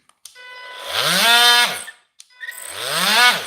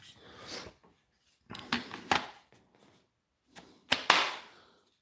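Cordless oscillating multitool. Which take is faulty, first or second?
first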